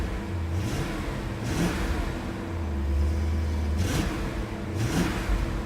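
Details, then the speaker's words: BMW E39 M5 V8 with newly fitted low-mile take-off mufflers replacing holed factory ones, after fresh 10W60 oil change; deep note rises and falls cleanly through several blips, no rattle, drone or blow, engine shakes the car; normal exhaust note when revving. "Engine sure shakes the car. Sounds good. Much more dignified, I like it."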